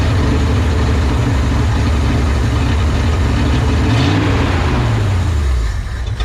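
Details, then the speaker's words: 1970 Ford F-250 field-find first start with an electric fuel pump and timing unchecked: a loud, lumpy idle that surges and stumbles. Carburetor rebuild suspected. Rough running from carburetor fault. "that is definitely carburation uh we haven't checked the timing we haven't checked anything but uh the engine sounds good it sure sounds like carburation"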